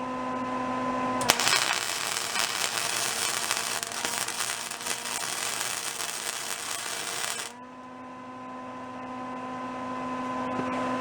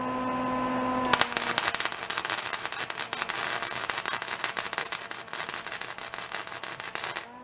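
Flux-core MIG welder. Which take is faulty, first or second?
second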